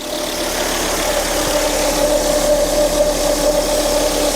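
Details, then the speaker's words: 2004 Volvo S80 after radiator replacement following severe overheating, thermostat not replaced, cold idle before thermostat opens: even, steady hum, no misses or knocks; idling normally. "That level will stay the same until the thermostat probably opens up. Sounds smooth. But we'll see what happens once we get it up to temperature."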